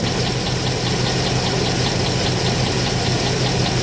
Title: 2008 Trailblazer SS engine knocking